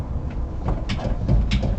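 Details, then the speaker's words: Toyota Hilux SW4 on a lift, body rocked by hand to mimic driving: dull knocks with a sharper click and tec-tec from a worn sway bar end link; gripping the link stops the noise, link to be replaced. "Ó, dá para ouvir um estalo mais agudo e um tecttec. Bom, o tecttec só assim que você percebe, ó, a bieleta aqui comba problema."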